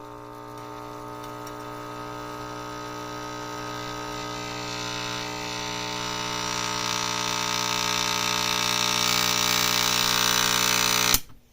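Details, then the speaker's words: Sears Silvertone Model 9001 tube radio (1949-1953) brought up slowly on variable voltage around 75 volts: a steady, buzzy mains hum swells; points to failing electrolytic filter capacitor, to be replaced next. "okay well that tells us where to start so this is the electrolytic and so that'll be next on the agenda to replace that"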